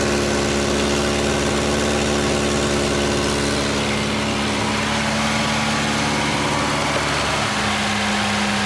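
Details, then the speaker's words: Junkyard-repaired Volvo 240 just started cold on a 20-degree day: steady cold idle buried under a loud raspy hiss and chuff near the front, almost like an open downpipe. A big exhaust leak. "Oh boy, there's a bad exhaust leak because I can hear it right here. Like it's an open downpipe almost."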